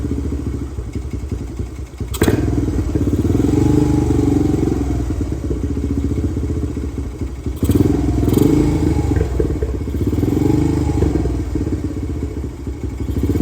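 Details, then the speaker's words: 2017 Honda TRX250X ATV bought cheap needing rebuild, started on choke after two pumps of gas: single-cylinder idles unevenly, fine with light thumb throttle but on release sags, pops and backfires, nearly stalling; backfiring and stalling at idle. "okay so if I lightly press the throttle it's good to go but the moment I let go of it you can hear it's starting to die and it's backfiring"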